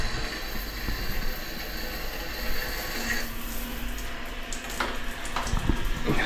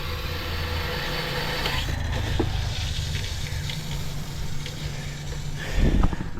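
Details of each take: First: Shower fed by a newly plumbed water tank and pump system: a steady, even hiss of water from the shower head with a low pump hum. Pressure is normal and unbroken. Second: Household water pump feeding a bathroom system with a 24-litre pressure tank: a low, even drone that never cuts out. Even with light water use the pump runs continuously and doesn't switch off.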